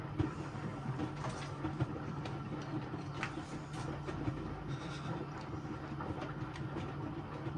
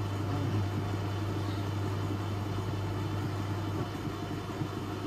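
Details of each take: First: Electrolux Professional W555H commercial washer on a custom Intensive 60 cycle, water around 41°C, heat-retain stage: steady low rumble with gentle rhythmic slosh and tumble about once a second, even and unforced; normal wash action. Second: Electrolux Professional W555H commercial washer on custom Intensive 60 cycle, spin: heavy, steady low drone with the drum struggling to gain speed; sudslock, suds dragging the drum down.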